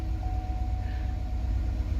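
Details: 2013 Cadillac Escalade AWD Premium V8 restarted after the oil pressure sensor replacement and the codes were erased: a deep, smooth, even idle with no ticks, knocks or misses, and good oil pressure.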